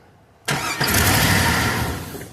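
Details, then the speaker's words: 2002 Cadillac Escalade EXT with a new starter. Catches and roars up, then sags and dies within about two seconds. Starts then stalls; owner says the starter isn't bad and it isn't getting the right signal, broken ground strap suspected. "but this is what happens it starts up for a second and shuts right back down"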